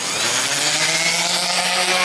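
A high, gritty scream with a steady low hum underneath stays even as the grinder bites properly under firm pressure.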